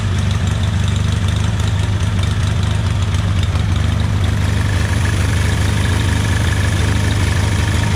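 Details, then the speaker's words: Hobart welder generator small engine after replacing the main and idle jets and a gasket: steady, even low idle with a smooth beat, no knocks or hunting; healthy running. "we're gonna do is fire this thing up and uh listen to it run"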